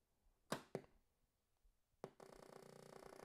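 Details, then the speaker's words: Atari 8-bit computer at switch-on: a couple of soft clicks, then a steady buzzy tone about two seconds later, the normal power-up sound used as reference for a faulty Atari 800. "anybody who knows Atari 8-bits when you turn them on you get that glorious sound"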